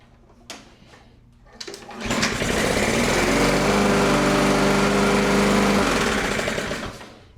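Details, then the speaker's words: Neglected Toro Recycler mower, Briggs & Stratton 163cc, hot, with the spark plug boot off: it rattles up to speed with a fast, even ticking knock over the exhaust note. "All right, let me see if it'll fire off. That thing sounds terrible inside."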